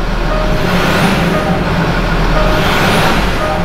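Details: 2011 Land Rover Discovery 4 diesel after fuel filter replacement and priming: revs rise and fall smoothly through a couple of blips, no stumble or misfire; no air in fuel system, running clean.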